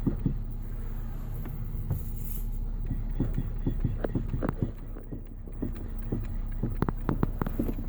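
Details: 2014 Nissan Qashqai J11 while driving: irregular sharp knocks in clusters over low road rumble; suspected steering rack knock.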